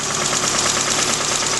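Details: Suzuki Samurai engine idling after oil pump replacement, light sharp knock ticking steadily through the idle over a hissy engine note; knock still present after the repair, bottom-end knock suspected but not proven.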